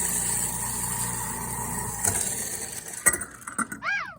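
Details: Garbage disposal after mop-bucket dirt, mud and small rocks were poured down the sink: a steady motor hum with a gritty, rattling grind as it chews on the debris.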